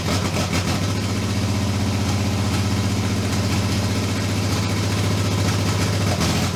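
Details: 2JZ engine in a Datsun, after fixing no-compression and rebuilding the VVTi gear: fast high idle with an uneven, lumpy pulse and occasional stumbles, sounding like it's misfiring or not firing on all cylinders; cause unknown.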